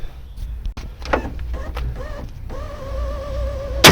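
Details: BMW E36 power window: motor whirr with wavering tone through travel, uneven thunks and a loud clack at the end; regulator missing its clips.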